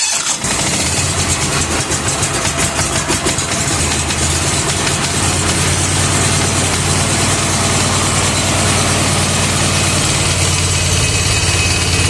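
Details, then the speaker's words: Bad Boy riding mower engine after replacing the faulty ignition coil, started with choke and a little throttle: cranks, catches within a second, settles into a steady buzzy run. Slightly noisy and smoking, oil very black. Normal start. "Okay, we got it running. So, the the coil was definitely the issue."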